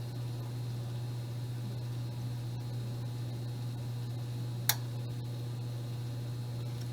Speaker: may hear the temperature board click from time to time because it wants to maintain that 300 degrees.